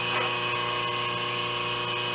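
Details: 5 HP inverter-rated three-phase idler motor on a 5 HP rotary phase converter control box, running at 60 Hz on the bench during voltage tests: smooth constant hum with steady high buzz, no labouring or surging, running normally.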